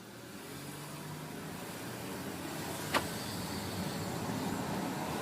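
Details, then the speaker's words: Tiguan with APR Stage 2 tune: over a quiet engine a thin, high whistle rises as revs build, very loud and sharper than a healthy turbo; it was not there before, cause unknown. "свист очень сильный. Непонятно, что это за свист, но раньше его не было."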